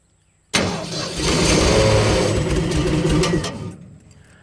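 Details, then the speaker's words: 302 V8 running an air compressor, freshly tuned with new plugs, wires, cap and rotor: about three seconds of harsh metallic grinding while cranking, then it fades. The starter bushing and Bendix drive gear are worn out. "And that starter right here, the bushing and where that gear's at, the Bendix, is gone. So that's why you hear that horrible noise."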